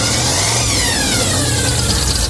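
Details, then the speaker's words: 1985 Chevy C20 carbureted V8, cold, just after a muffler was welded in: revs up and falls back with a smooth, muted exhaust note, no rasp or leak; now quiet, exhaust sounds healthy, some steam from it. "That's much better. Yeah. Good old carburetor. It's cold. Yeah, man. Yeah, it's quiet now."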